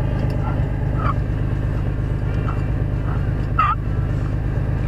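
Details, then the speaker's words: Gobbling, warbling turkey-call chirp from the removed 40,000-mile water pump with at least one bad bearing; bad bearing noise. "it's got at least one bad bearing so that noise turkey call"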